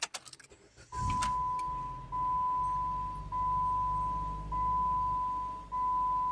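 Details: 2015 Jeep Patriot 4-cylinder (title says 2014), started after replacing the wireless control module, programming both keys and a 45-second off cycle: the starter catches after a second, then a low steady idle under a repeating dash chime. It starts and runs normally.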